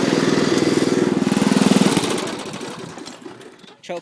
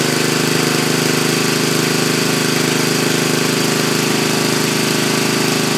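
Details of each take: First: Homa 50 racing tractor running almost on pure Seafoam fed through the intake: rapid even chugging, then the firing fades and the engine dies, choked by the smoke. It needs a high idle. Engine stalling. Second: Racing tractor's small single-cylinder engine running almost on pure Seafoam (added to crankcase, oil and intake): steady, even thumping at about 220 beats a minute, no misses or stumbles; runs okay.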